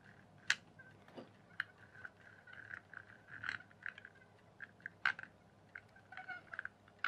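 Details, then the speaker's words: RC rock crawler (Devils Monster) axle turned by hand after fitting a resin-moulded replacement universal joint: scattered sharp clicks, suspected missing or misaligned gear tooth, cause unconfirmed. "Sounds to me like a gear is. Missing somewhere. Sounds like something's not quite lined up right."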